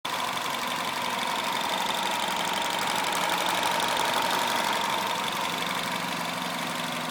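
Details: Peugeot/Citroën THP 175 engine at idle: light, fairly regular ticking about four times a second over the engine; abnormal noise, cause undetermined.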